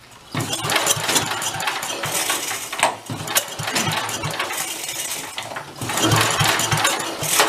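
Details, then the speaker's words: 54-year-old abandoned Mite-e-Lite generator, choke apparently off: repeated rope pulls with brief coughs and sputters, never catches. Owner suspects head gasket or a past exhaust leak, oil possibly fouling fuel. Hard start, won't run. "try that again I think that's choke off lots to go and then Peters out"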